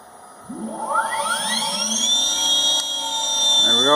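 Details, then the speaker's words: Electric vehicle motor on test after over two years of work, before going in the car, with field weakening applied; clean whine sweeps steeply up and holds high and steady as it spins fast. Healthy drive. "I have some field weakening applied right now that's why you can hear it spinning so fast"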